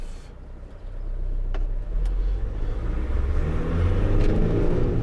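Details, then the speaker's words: 2002 Renault Master 2.2 dCi on a road test after EGR valve work: diesel pulls smoothly and builds revs evenly under load over road rumble, no misfire or hesitation; power back, nothing wrong now. "powers back [Applause] that the wind over but never mind yeah there's nothing wrong with this now"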